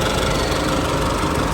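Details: Isuzu D-Max 4JK1 diesel after repair for shaking, power loss and black smoke (clogged injectors fixed, oil and coolant serviced): steady even diesel clatter at idle, no stumble, shake or misfire; normal clean idle.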